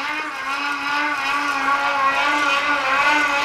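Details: Homemade pedal generator, Unite MY1016Z3 24V 350W motor, 24-tooth chainring to 9-tooth sprocket, about 80 rpm pedalling for 12V DC into 400W inverter, charging a touchpad, phone and shaver; steady mid-pitched layered whine swelling with each pedal stroke, no grinding; normal light-load running.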